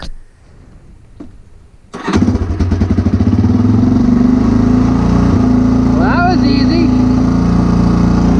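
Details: Old used machine cold-started with the choke on. After a quiet lead-in the single-cylinder engine catches into a fast, slightly uneven choked idle; the mixture needs adjusting.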